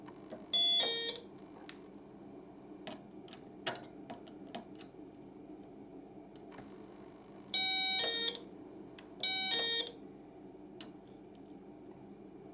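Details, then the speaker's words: Kit-built 555-timer doorbell on a 12 V supply: three brief high electronic chimes, each cut off after about half a second and fairly quiet. The discharge is too short. "It's not very long on the discharge. It's also not very loud."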